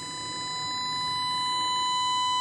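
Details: Pioneer SX-680 receiver after repair of a power-on, no-sound fault (power supply problem, not signal path; hybrid output IC replaced): clean steady tone near 1 kHz rising gently in level, no crackle or dropout; normal audio output.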